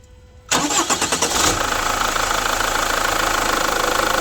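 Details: Chevrolet Captiva FL diesel, cold engine before repair: about a second of uneven cranking, then catches into rough clatter; hard cold starting, faults found in injectors and turbo, fixed by new injector rings and check valves.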